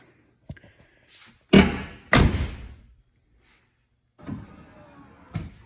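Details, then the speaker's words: 1996 GMC 3/4 ton Suburban with a Cummins diesel swap, fitted with AMP power steps with added lights that work from the front and rear doors. Door thuds, then a short, even electric whir as the step motor deploys and stops; normal power running board operation. "All right, here's a demonstration of the power steps. We also added in the lights."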